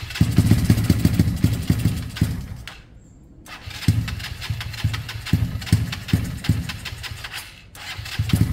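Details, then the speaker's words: KSR GRS 125 motorcycle, start attempt with airbox fitted, new spark plug and starting spray: fires in ragged, uneven bursts, dies off and picks back up, never revving cleanly. Owner suspects top end, possibly timing skipped a tooth; unconfirmed. "yeah something's gone um not right there and again in the top end like I said uh I worry about the top end"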